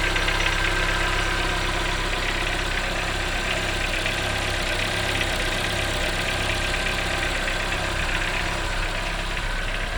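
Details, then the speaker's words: Chevrolet Onix 2014 1.4 LTZ petrol engine at cold start in the morning, idling with a light, uneven knock about three beats a second; the owner doesn't know the cause. "O carro tá gelado pela manhã, ou durante o dia assim mesmo, quando ele tá gelado liga, ele faz esse barulho batendo bem aqui, ó."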